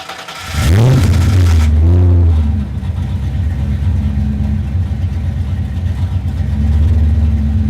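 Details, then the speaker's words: Fox body Mustang started after replacing the dead alternator, air filter refitted and battery reconnected: starter catches, revs flare, then it settles to a steady, even idle with no knocks or misses; normal start and idle. "all right I'm gonna put on the air filter reconnect the battery and start it up and hope that it's charging"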